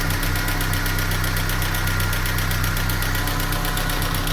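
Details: Ford Scorpio DOHC engine at a rough idle with a steady light tapping, roughly three to four knocks a second, over a low drone; internal engine knock of unknown cause.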